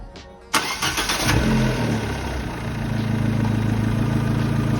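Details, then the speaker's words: Abarth/Fiat 500 engine just after replacing a year-old MEYLE aftermarket drive belt, which had started a rubbing noise, with a genuine belt: sharp start settling into even, quiet idle with no squeal or rubbing; normal running. "smooth, it's quiet at all! It's quiet at all."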